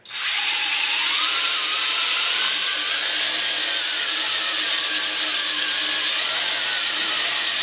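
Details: WLtoys V262 quadcopter with a recently replaced brushed motor: a high buzzing whine that wavers up and down instead of holding steady under throttle; erratic speed from one failing brushed motor, later fixed by replacing it again.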